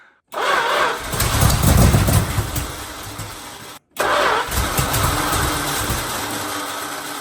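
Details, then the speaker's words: 1974 Dodge W100 with swapped 383 big block: long spells of steady even cranking about three beats a second, never catching; fuel tank empty, so no fuel pumped. "Well, we gave it the slosh test and there's not a slosh in there, so tank's empty. That explains why it's not pumping fuel."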